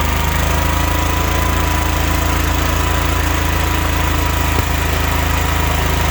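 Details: 1972 Wheel Horse Raider 12 lawn tractor, stored 15 years in a shed, running on its fuel pump: small engine buzzing flat out at steady high speed with one sharp pop; owner suspects dirty points for backfiring and a non-working governor for over-revving.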